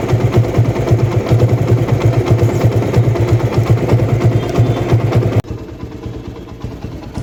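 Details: TVS Apache RTR 160 after replacing the timing chain tensioner assembly to cure engine noise: small single at steady idle, even low putter with no top-end rattle or ticking; engine sounds healthy.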